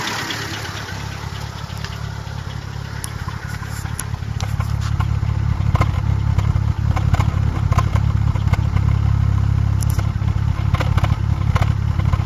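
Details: Seat Ibiza 6L engine at idle: a light, fairly regular tick of about three per second over the low hum. The cause is unknown.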